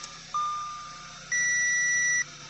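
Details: Audi B8 A4 after rebuild (new rings, honed cylinders, sat three years) and starter/alternator cable electrical fix, first run with half the car disconnected: one sharp chime fading, then a steady high beep about a second over a smooth-running engine; warning alerts, cause uncertain.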